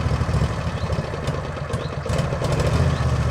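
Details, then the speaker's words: Machine with an uncleaned carburettor, sweeper collector running: low single-cylinder beat sags and swells instead of holding steady. The engine surging is back; the owner says the carb will need cleaning and may tune it out with the throttle. "The Harley Davidson effect is back. So I guess I cannot avoid cleaning the carb anyways, but that's not right now because I need stuff done, and yeah. Ignore the surging of the engine."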